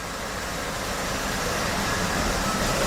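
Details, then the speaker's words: 1967 Chevy C10 V8 after engine swap, idling at normal idle speed but running very rough, stumbling irregularly, smoothing out only at too-high RPM; before spray test, vacuum leak found at intake manifold/carburetor base, loose fastener. "can you hear how rough that's running all right it's idling at about where it should be for idle but it's so rough"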